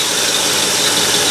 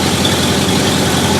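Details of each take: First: 1968 Ford Galaxie 500 V8 with Holley carb, idling after the distributor was rotated to correct ignition timing: smooth, even idle with steady hiss, no misses or hunting, idle rpm slightly high; running clean, better vacuum. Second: 1968 Ford Galaxie 500 V8 with Holley carb, idle mixture screws set 1.5 turns out: steady, even burble with no miss at about 620 rpm, above the 550 target; idle speed too high.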